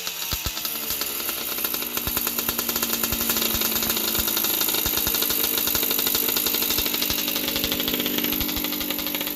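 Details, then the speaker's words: 1981 Yamaha YZ60H two-stroke just after a carburetor clean, started with fuel poured down the carb. A buzzy, high-pitched idle holds steady without stalling or surging: normal idle, with some oil from the exhaust. "Well, it runs nicely. I just have to put a bit of fuel down the carby to start it. Otherwise it starts, it idles nicely and"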